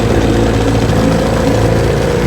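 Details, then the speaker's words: 1968 Evinrude 9.5 HP two-stroke outboard, restore #88 with rebuilt carburetor, pressure-tested seals, new gear oil and water impeller, idling on a bayou test run. Steady, even low burble with no misses, knocks or surging; idle's perfect. "She runs great. I mean, idle's perfect."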